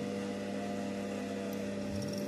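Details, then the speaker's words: Normal start-up of the extra-heat exhaust fan on a homemade egg incubator: steady electrical hum, then a low tone sweeping upward as the fan spins up, switching on when temperature rises one point above the heat controller setpoint. "پھر آن ہو گیا ہے. تھوڑا سا ایک point بھی بڑھتا ہے تو یہ آن ہو جاتا ہے ایکسٹرا ہیٹ ایگزاسٹ فین."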